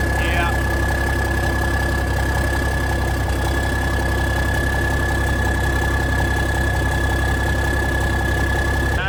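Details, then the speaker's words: 1987 cabover truck diesel idling cold after its first start in years, oil pressure about 40: steady, even low rumble with a faint high whistle and no knocks or misses. Healthy cold idle; normal. "Hey, it sounds good. And you can't beat these old Cabovers, guys. Especially start up in the cold like that."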